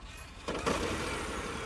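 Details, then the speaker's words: Citroën C5 Aircross 1.2 hybrid, 136 hp, which has no conventional starter motor and starts through its electric motor: near silence, then the engine catches at once with no starter whirr and settles into an even run; normal start. "bunda marş motoru yok Elektrik motoruyla beraber marş alıyor O da farklı bir çalışma tarzı oluşturuyor bakın basalım"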